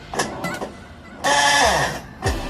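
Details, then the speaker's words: Electrolux LTE12 12 kg washing machine during agitation, ratchet already replaced without fixing it: each stroke gives a rough whirring burst dropping in pitch and ending in a clunk; worn gearbox cover. "defeito aí é a tampa da caixa do câmbio. Ele estragou."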